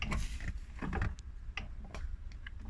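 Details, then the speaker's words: 1988 Mercedes 14618cc V8 diesel bus, engine off, clutch master cylinder reservoir found low: irregular clunks and light ticks as the pedal is pushed, the clutch linkage taking up slack, then pedal firms up. "all right so that noise is the linkage taking up some slack"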